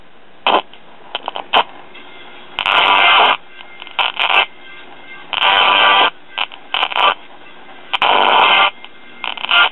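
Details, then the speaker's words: 1967 RCA solid-state record player with a modified preamp on an unregulated supply (about 11.8 V B+ via a dropping resistor). Playback at half volume keeps cutting in and out in short bursts as the preamp supply voltage fluctuates. "you notice the voltage fluctuating and you can also hear the audio cutting in and out now I know that voltage fluctuation doesn't seem like much but in the world of modern solid state circuits a little bit can throw the whole thing off"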